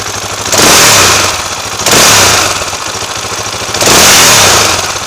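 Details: 2004 KTM LC4 640 single, 11000 km, Akrapovic slip-on, 60°C oil temperature, no choke: single thumping at idle with three quick throttle blips, revs climb and fall cleanly; no clear fault, condition unknown.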